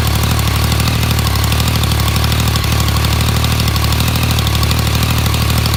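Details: 2016 Yamaha MT-09 (RN34J), new, with updated cam chain tensioner: steady idle with busy, even mechanical clatter over the exhaust beat; bike shop says this is normal valvetrain noise.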